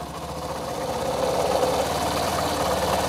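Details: BS6 Honda Shine single-cylinder after fuel pump work, half litre of petrol added, self-started and left at idle to settle rpm: steady idle ticking, then smooth even revving with no knocks or misses; healthy.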